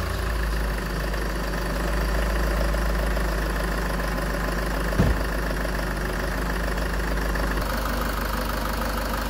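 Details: Land Rover Freelander 2 2.2 TD4 diesel idling cold after partial coolant drain during thermostat replacement (thermostat was opening too early, heaters cold), waiting for thermostat to open: steady, even low diesel clatter with a brief click; healthy idle.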